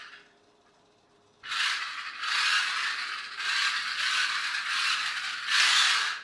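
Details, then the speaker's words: RC car with a 3D-printed replacement gearbox gear that wobbles, before fitting proper replacement gears. Loud gritty whirring comes in bursts while driving, noisiest in reverse, partly masked by wheel-spin noise. Gear noise from a poorly fitting printed gear. "I think it's in Reverse its noisiest some of the noise you can hear is the wheels spinning as well so it's not entirely obvious what I'm complaining about"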